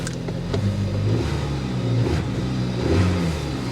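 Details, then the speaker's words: 2014 Dodge Avenger V6 at a salvage auction: deep, even engine note climbing smoothly and dropping back with no misses or knocks; revs cleanly, healthy engine rev. "she revs sounds good"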